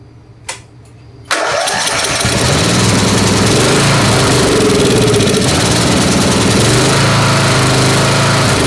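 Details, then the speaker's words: Snapper SR-Series 10HP Briggs & Stratton, stored 10 years, with an aftermarket Amazon carburetor whose jet/emulsion tube was drilled to 0.030", started on full choke: single-cylinder beat about three pulses a second with a stumble. Missing, not backfiring; needs tuning. "Missing over there. It's not backfiring from here. I heard it missing over there."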